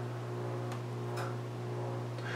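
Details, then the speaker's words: Speed Queen 9 series washer/dryer with electronic controls, front panels removed, powering on: a few soft sharp clicks over steady low hum from relays on the circuit board in the small white panel; normal relay clicking at power-on. "all the relays you hear clicking during the cycles or went on or when you turn the machine on or off this is where that noise is coming from"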